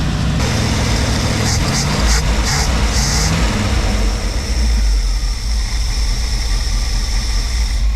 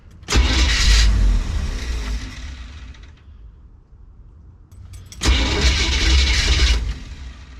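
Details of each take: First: Classic carbureted V8 with Edelbrock carburetor and electric choke, sat over a week, after carburetor rework: started without touching throttle, deep steady idle rumble with no stumble or hunting; running properly. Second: Classic car with Edelbrock carburetor, sat over a week, choke not setting properly: two long bursts of fast cranking about four beats a second without catching. Hard start, long cranking.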